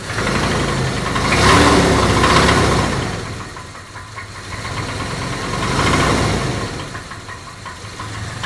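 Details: Jeep Grand Cherokee engine revving up and down with the throttle, a hard metallic knock from inside the engine riding on top and growing louder as revs climb; engine knock.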